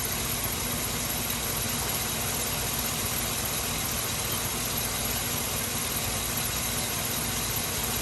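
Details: Chevy Suburban, hot engine, just after radiator replacement and coolant refill: smooth steady idle with even low drone, no knocks, ticks or surging; no leaks, running fine.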